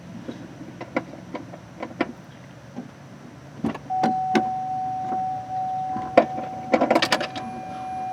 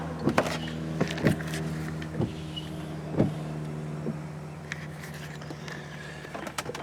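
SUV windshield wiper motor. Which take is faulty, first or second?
second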